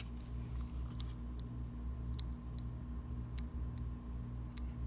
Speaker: i don't know you can hear but it has a like a clicking and um and not nothing shows in the screen so that means the hard drive this hard drive is not good anymore